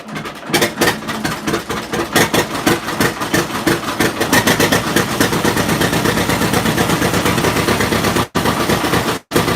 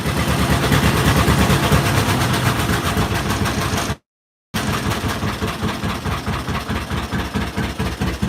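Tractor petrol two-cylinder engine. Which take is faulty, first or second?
first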